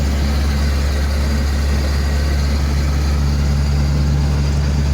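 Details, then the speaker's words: 1985 Toyota Sunrader motorhome, 22RE engine, just fitted with LCE street headers: steady deep engine drone with an even low throb and no knocks or rattles; runs smoothly and feels more responsive. "guys that sounds good man it sounds really sweet"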